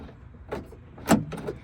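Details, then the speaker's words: Hummer H2 rear liftgate lock actuator just replaced (part 15808595), tested after the old mechanism had frozen: quick, crisp clunks and short whirs as it locks and unlocks cleanly. It now pulls both cables and works normally. "As you can see, it's pulling both of the cables, the one there and the one at the bottom. It was not doing that before cuz this mechanism was froze up."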